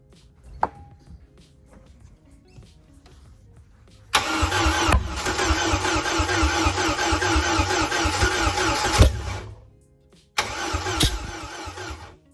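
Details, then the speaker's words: Bayliner MerCruiser engine at first start after a head gasket job: long, even cranking bursts that never fire or catch, a no-start caused by spark plug wires installed in the wrong order. "What'd you do? Wrong plug? Parts plug? Yeah, spark plugs are on backwards."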